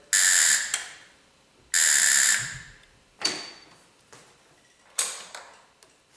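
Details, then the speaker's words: Tao Motors mini quad that won't start, new key switch and wiring harness fitted, key on, brake on, starter pressed: only a harsh electric buzz then sharp clicks, no crank; solenoid suspected of trying to close and vibrating. "Okay, so when we tried to turn it over, we didn't hear the starter engage, but we heard what sounds to me like the starting solenoid try to close and just vibrate."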